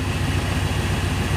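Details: 1996 GMC Yukon V8 idling after cold start, following intake manifold replacement, new gaskets and timing correction; steady, even low rumble, no knocks or ticks; healthy, temperature stays normal, no overheating.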